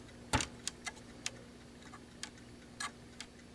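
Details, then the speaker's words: Irregular ticking from an ASTAR DVD player with its laser sled stuck: sparse, uneven light ticks, about eight in four seconds, as the sled drive gear is turned by hand. Owner suspects a limit switch not being made, not the disc itself. "so there's some sort of limit switch that is not being made and you can hear when I spin that that's what the noise is so it's not the disk itself"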